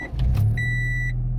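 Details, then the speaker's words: Honda Integra DC4 automatic, sitting for 10 years with almost 260,000 km: a short chime, then the engine catches at once and settles into a smooth, steady low idle; a clean, healthy start. "like it just starts up like a Honda no issues whatsoever"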